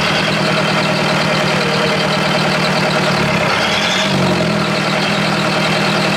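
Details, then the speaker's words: Perkins diesel in an old Australian-made Chamberlain R1250 tractor crane: slow, heavy chug close to stalling, then pitch lifts around four seconds as idle is wound up; idle set way too low, engine just turns off. "four the idle set way too low it just turns off so if I wind that up that's why he's got all that those wires and things holding it de I'd say to keep it running"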